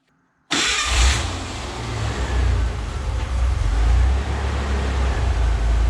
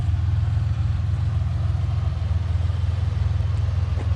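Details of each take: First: Ford Bronco II 2.9 V6: engine catches then hunts unevenly, drone swelling and sagging every second or two, idling around 850 rpm with hiccups; rough idle, owner suspects failing fuel pump, battery terminals cleaned, cause unconfirmed. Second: Ford Bronco II 2.9 V6 with prior idle hunting and stumbling, now at operating temperature after a drive: deep steady idle with even pulse, no dips or hunting, settling at correct speed.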